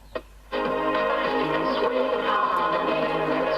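Clean, steady music from the speaker with no crackle, hum or fading; the set is receiving medium wave properly.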